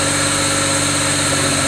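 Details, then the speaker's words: Pontiac Fiero lowrider after new fuel injectors, fuel system and distributor: smooth steady idle, no misfire, but sitting a little high; owner attributes high idle to a vacuum leak. "the fiero runs good it's got a vacuum leak it's idling a little high but it's clean"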